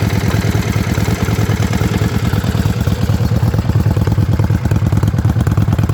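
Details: Yamaha Virago XV535 V-twin idling with a loping, uneven beat and dropped pulses, a misfire; one spark plug heavily carboned, owner suspects carburetor tuning.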